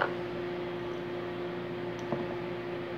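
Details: Consul CMA20 microwave on 220 V heating a cup of water: quiet, steady mains hum with a faint tick, no buzzing or arcing; runs normally.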